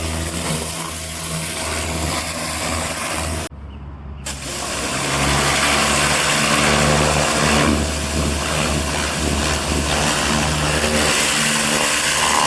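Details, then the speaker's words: Craftsman LT1500 riding mower, first blade engagement after deck leveling and cleaning: loud harsh clatter about three hits per second over the engine; owner believes purchased blades are bent and striking something, not each other. "right so I just turned the blades on for the first time what a terrible noise that was I think I bought bent blades"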